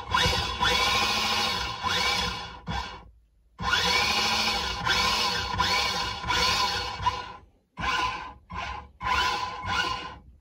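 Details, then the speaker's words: 40A dual-motor AliExpress ESC on a combat robot bench test, one motor connected; short bursts of motor whine rising and falling with throttle, clean pauses; motor and ESC working on one side. "okay so it does work uh on one side at least"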